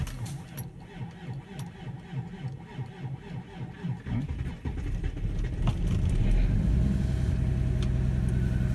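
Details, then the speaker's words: Diesel car, parked two days, cold start at about -28°C after glow plugs warmed: slow, labored cranking at about three and a half beats a second, then stumbles and catches into a rough idle; hard cold start. "тяжко завелся чего я могу сказать на завелся"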